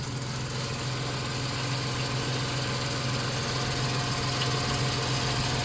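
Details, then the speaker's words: 1991 Dodge Grand Caravan 3.3 V6, abandoned 21+ years: a smooth, even idle with a steady low pulse and no knocks or misses while transmission fluid drips on the pan. The engine runs very well. "I'm just in awe at how well that motor runs. I mean, listen to this thing."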